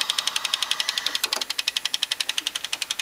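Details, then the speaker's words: GE-rebranded boombox made early 1996, cassette mechanism: fast, even, sharp clicking about three per second; owner thinks a weak spring isn't pulling firmly enough into the gear, so the mechanism slips. "so what that noise is coming from I think I see spring is not pulling hard enough yeah it's not pulling this hard enough into the um gear and it's causing it to slip a bit"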